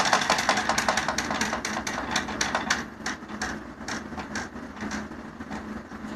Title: My chair sounds like a tractor